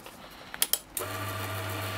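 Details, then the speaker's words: Silca Super Special semi-auto key machine after restoration and motor pushed back to tension the belts: a few clicks at switch-on, then steady even motor hum with no belt slap or rattle, belts vibrating less; normal running. "okay they're not vibrating as much that seems good"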